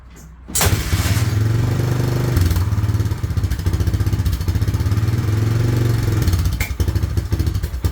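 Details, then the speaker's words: 1998 Honda 300 4x4 ATV after years sitting, first start after priming fuel, oil added, 2-stroke gas mix, filmed at exhaust: fires and settles into fast steady putter; smoking, owner suspects the 2-stroke mix. "It was running. I do have 2-stroke gas in this thing to lubricate everything. So that might be a reason it's smoking."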